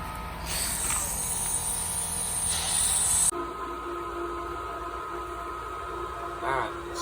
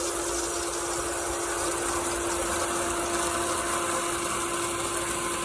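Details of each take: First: Pentair sand filter pool pump with a DIY pressure release valve: sharp steady hiss for about three seconds, then pump hum with water noise as air bleeds off while the pump primes. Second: Pentair sand filter pool pump with DIY pressure release valve: steady even rush of water with constant motor tone, no surging or gurgling; pump primed and running normally.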